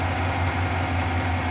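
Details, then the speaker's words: 2009 Chevy Silverado 1500 V8 idling after under-torqued spark plugs were tightened to cure dancing plugs; even steady idle, smooth low rumble, no misses or ticking, plugs solid: normal idle. "all right nice and steady doesn't look like any of them are moving let's check the other"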